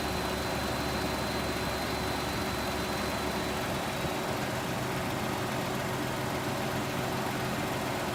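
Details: 2018 Ford Expedition at cold start; steady cold idle with fast, even light ticking over the engine hum; source of the tick not identified.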